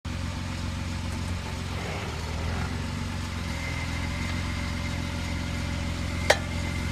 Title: Popping noise jk